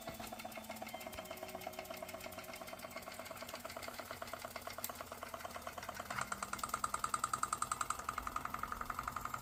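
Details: Circa 1895 Georges Carette toy steam engine, about 130 years old, driving 1950s Fleischmann stamping accessory with transmission engaged: rapid even ticking with steady steam hiss, beats growing louder and heavier as it labours; boiler overfilled with water.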